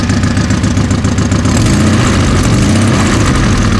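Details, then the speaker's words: Car on its first run after 3 months, with a new cylinder head, indicator-set split cam gear and a Niva camshaft: at idle a sharp rapid puffing tick rides on the exhaust beat. Not the muffler; the exhaust manifold gasket is leaking. "это явно не глушитель работа прокладкой течет"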